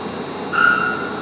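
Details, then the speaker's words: 50 kW wind turbine emulator spinning up: steady machine hum with a short loud chirping whistle as it speeds up and synchronizes with the grid; normal operation. "so right now you hear it's spinning up and uh and there will be some loud chirps as it as it synchronizes with the grid so right now it's synchronizing"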